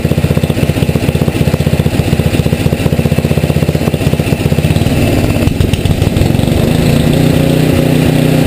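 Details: Tecumseh HM80 engine, relatively warm, choke off, idling after carburetor idle-needle adjustment: steady, even low putter of about four firing pulses a second with no hunting or stumbling; needle one full turn out was right, idle mixture set correctly.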